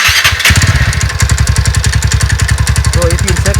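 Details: TVS Ntorq scooter idling with a fast, steady tik-tik ticking, a common problem; traced to a loose bolt behind the cooling fan and magneto, reached by removing the panels, exhaust, fan cover and fan.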